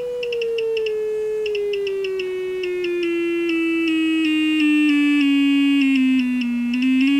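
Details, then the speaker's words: Samsung UA40D6000 40-inch TV speaker driven at about 5 V with a test tone stepping through frequencies: clean tones, but buzzy rattling at 300 Hz, showing a blown speaker. "see how the tones are nice 300 Hertz is rattling"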